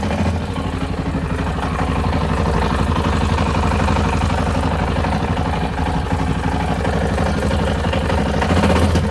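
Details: Yamaha Tenere XT660Z single-cylinder at idle: steady exhaust beat with a clattery knock about four times a second; engine knock.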